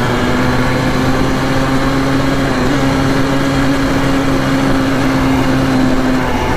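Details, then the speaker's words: Honda ATC 250R two-stroke at full throttle on a top-speed run, about 60–65 mph: loud, steady high-rev buzz, slightly ragged underneath. The engine is not running right and top speed suffers. "that top speed could be a lot better if it was actually going directly"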